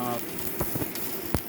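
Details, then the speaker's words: Welding World MMA-400 IGBT inverter stick welder, 4 mm LB electrode at 113 A, hot start at half: steady soft frying crackle with few sharp pops, no stuttering or spitting; smooth stable arc. "Saya nyalakan hot startnya di setengah ya. Nah, dari suaranya ini sangat halus sekali ya"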